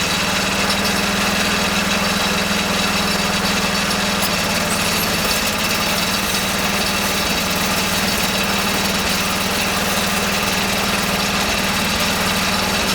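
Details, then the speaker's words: Kohler K301 12 hp single-cylinder engine after rebuild, on a garden tractor: it putters at a steady idle with an even low thump and no knocks; running normally, though owner thinks the fuel pump is bad. "If it did or not, it sounded like it ran."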